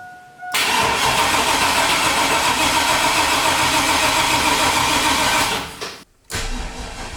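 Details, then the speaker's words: Freshly built turbo 6.0 LQ9 V8 in a Chevrolet Silverado, first startup attempt: labored cranking about three to four turns a second for five seconds without firing; weak 2017 battery, later replaced. "Probably gonna need a new battery. All right, battery's a little weak."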